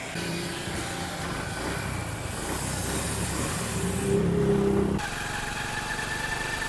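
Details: Honda CD 70 motorcycle after gearbox repair for gear noise, earlier heard in fourth gear, first test after the fix: small single revs smoothly and settles with no whine, knock or gear clatter, music partly covering it; sounds healthy.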